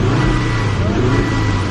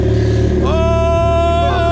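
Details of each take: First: Volvo engine revved under throttle: rough stumbling sputter down low, then loud backfiring as rpm climbs, with something splattering from the exhaust; misfire suspected, cause unknown. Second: Turbo Miata that had been sputtering and wouldn't idle, started after injector dead time was cut from 4.0 to 1.0: revs rise with a clean whistling tone that climbs and holds with throttle, then drops; normal turbo spool.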